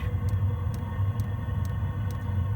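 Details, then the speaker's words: 5 kW Chinese diesel heater after fitting a new controller, motherboard, burn chamber and pump; the old controller had apparently been sending too much fuel, running too rich: a steady low burner roar with an even pump tick about twice a second, no smoke, running cleanly. "that has fired up on 99.9 certain that has fired up and no smoke yep that's hot air coming out of there no smoke so by the look of it it's all been down to that controller"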